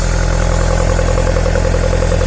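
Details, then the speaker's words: 1978 Lotus Sprint Eclat (built Nov 1977), cold engine: steady, even low idle with a smooth regular beat, no knocks or misses, before being revved; sounds good, healthy. "We'll go back here, rev it up. Sounds good. It's cold."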